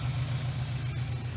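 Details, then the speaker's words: Subaru BRZ with an installed aftermarket hydraulic clutch release bearing. A steady high-pitched whine over an even idle rumble, suspected to be the bearing singing; unclear whether the bearing itself or the installation is at fault. "got this happening now speaking that high-pitched whine now"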